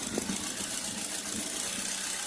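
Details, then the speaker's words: Car engine idling with one fuel injector connector unplugged to demonstrate: idle turns lumpy with an uneven stumble as that cylinder stops firing, and vibration grows stronger as if starved of fuel. Misfire from the disconnected injector. "nakita niyo yung nginig niya iba lumalakas parang kinakapos ng gasolina"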